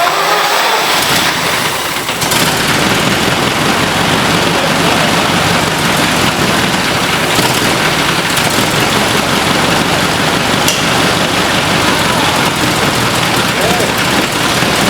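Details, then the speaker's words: 1923 Cadillac Model 61 flathead V8 tow car, first start after sitting and repair work: settles into a steady even run, no misses or knocking; running fine. "We got it running. Oh yeah. Old 23 Cadillac tow truck ready"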